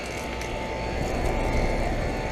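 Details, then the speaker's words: Central air conditioner condenser running while being cleaned with a hose: steady mid-pitched tone over the fan rumble and splashing water, a strange noise not heard before; cause unknown. "crap sounds like it's making a funny noise you know what I'll be back on this"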